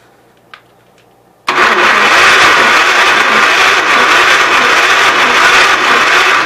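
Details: Gravely 810 after the points were cleaned and spark was restored, with a little petrol added. Loud, steady cranking for about five seconds with no firing; it turns over but won't start, and the battery is running low.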